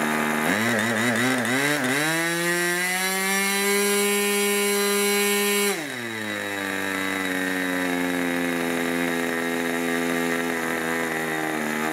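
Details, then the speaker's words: 1980s Irvine 40 MkII ABC glow engine with twin-needle carb, 10x6 prop, 7% nitro and 20% oil fuel, on its first run: it buzzes up to a high steady pitch, then drops to a lower, slightly uneven note. The needle is set too rich and is leaned. "he's just running a little bit rich or a lot richer I'm just gonna take that needle in a bit"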